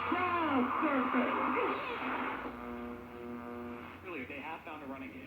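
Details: 1931 RCA P31 portable radio after replacing out-of-spec resistors to cure distortion: plays voices and music clearly with no hum, crackle or distortion; working properly.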